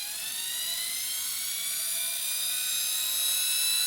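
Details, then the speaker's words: Salvaged washing machine motor run on 12 volts from an old, low leisure battery: fast, steady high-pitched whine, smooth, no knocks or rubbing; bearings at each end, spinning freely, normal running. "as you can hear, it's got quite a speed and quite a, well, I can't stop it, on just 12 volts."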